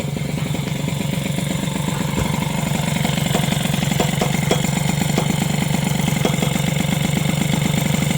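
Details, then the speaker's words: Two-stroke moped (SPX/RCX engine mount) after replacing the mount spacer with polyurethane: steady idle with a fast, sharp metallic ticking knock; owner is unsure of the source, later suspects the cylinder head touching; the modification is not recommended. "par contre il y a vraiment un truc qui touche [Musique] il y a un truc qui touche mais je sais pas ce que c'est"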